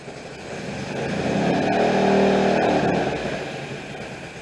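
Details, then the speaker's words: Abandoned 1974 MGB GT four-cylinder first running after long storage, makeshift exhaust, plugs suspect: swells on a blip and sags back, running unevenly; rough idle, needs more adjusting and tuning, cause not confirmed. "it does run it does want to idle engine sounds good though with my makeshift exhaust it really sounds good and quiet"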